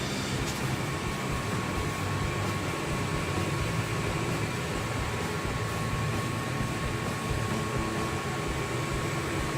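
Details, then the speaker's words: Home inspection walkthrough, Denver house: furnace about 12 years old per its data plate, burner lit with a good flame inside. Steady, even low burner roar with a faint constant hum, no rattles or surging. Furnace operating normally. "we see that it's burning good right now we got a good flame going on inside there"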